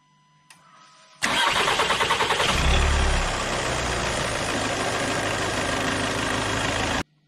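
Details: 2022 Skoda Karoq 2.0 TDI diesel after service with new oil, fuel and air filters, fuel system primed: short crank, catches at once, settles into steady, even idle with no knocks or misses; healthy.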